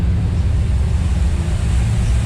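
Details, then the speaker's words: Rebuilt 1955 Chevy V8 with stock parts, a 180 thermostat and 6 psi oil pressure, after cam break-in. A deep, steady burble with even pulses and no knock is normal running, though it shows some black smoke and the reman alternator is suspected of losing voltage. "All right, cams broke in. Now that's the way they're supposed to sound."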